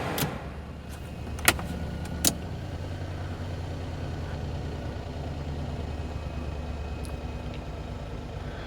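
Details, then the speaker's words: Perodua Kenari idling (about 900 rpm target) with a suspected leaky idle control valve: switching on headlights holds idle, but the heated rear window pulls the idle down and it hunts slightly; idle speed drops under electrical load. "so that's headlights on we're holding where we are heated rear window heater is just pulling the idle down a bit"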